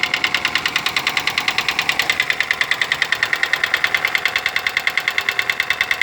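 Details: Daewoo Lanos engine: sharp, even metallic ticking about three per second over a quiet idle, steady throughout; noisy hydraulic lifters in the top end. Hydraulic lifter tick.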